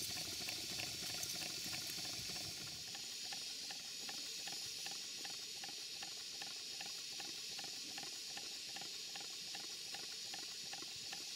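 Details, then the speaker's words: Stuart twin 5A model steam engine, two 2¼-inch cylinders, on a Castle Steam V6 boiler with a small gas burner: soft steady hiss with light regular ticks about 2.5 a second, running slowly but continuously; slight clunk from the chain coupling is normal. "but as you can see it's running it's not running fast but at least it's running it's running continuously"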